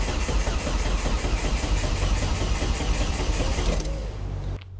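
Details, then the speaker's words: Volvo S40 with Holset HX40 turbo on new Speeduino ECU: steady cranking at about two and a half beats a second never catches; ECU reads no engine speed though fuel smelled; crank sensor polarity suspected reversed, timing out. "definitely got fuel because i can smell the fuel so that's happening i think it is purely purely down to the crank sensor"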